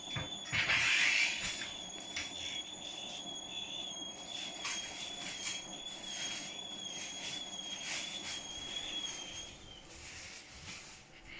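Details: Hotpoint appliance running: a piercing, steady high-pitched squeal over the running noise, cutting out near the end.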